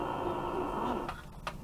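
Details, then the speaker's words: Shortwave receiver: harsh steady buzz with crackle over the hiss, local electrical interference across amateur and broadcast bands, source unidentified. "hear that buzzing I don't know what it is it it ruins my amateur radio hobby all over the shortwave amateur band"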